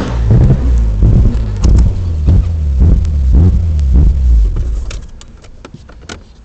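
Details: Nissan Skyline GT-R while revving: uneven, stumbling exhaust pulses about two a second that break the rhythm before settling; engine misfire, cause undiagnosed.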